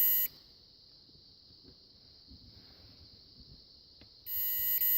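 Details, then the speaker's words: Mopar E-body (1970–74 Chrysler) ignition switch on the bench, ohmmeter on the crank position: a short beep, a long silent gap, then another beep; intermittent continuity because of dirty internal contacts. "See, I get certain spots where it wants to make contact. There are dirty contacts inside, so we'd have to take it apart to see what's going on with it."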